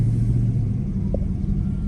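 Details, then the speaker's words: Dodge Charger AWD Hemi, accident-damaged, rattle suspected from heat shields, while driving: smooth low V8 rumble with no metal rattle; major rattle and engine click gone, though a buzzing remains under throttle. "Now the streets are dead because it was the F1. [Music] Yeah, it's gone."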